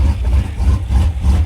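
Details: Truck V8 after a cam install at idle: deep, lumpy, strongly loping idle with no ticking on top; running healthy.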